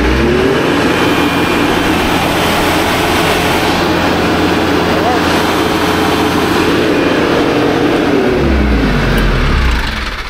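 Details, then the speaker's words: TYM T574 tractor diesel throttled up after replacing squealing fan belt, A/C accessory belt still off. Revs up and settles into steady even drone with no squeal or chirp; new fan belt fixed the squeal. "right, that was our problem. So now that belt is good to go."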